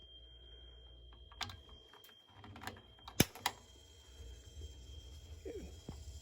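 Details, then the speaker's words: Gas water heater after supply line replacement, gas on and control set to pilot: a few sharp dry clicks over faint room hum as the igniter sparks and lights the pilot normally. "Did you hear it light? There it is."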